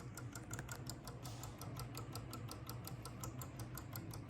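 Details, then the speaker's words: Memorex VIS MD2500 console after isopropyl cleaning and solder reflow: quiet, fast, even light ticks, about five a second, from the CD-ROM drive while switched off; owner suspects disc still rotating, unsure if normal. "It sounds like the CD-ROM unit is just rotating this disc or something. I'm not sure, but it is in fact off."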